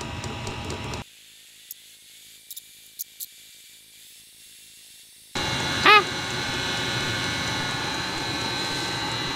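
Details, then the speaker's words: Webasto Dual Top diesel heater run without its ECU on simple controllers, carbon monoxide being watched while tuning; more fuel and air added and it overshoots to a loud steady hissing roar. Over-fuelled, over-fired burner. "So, we need to go more fuel and then we can take the air up a bit. Oh, that's too much."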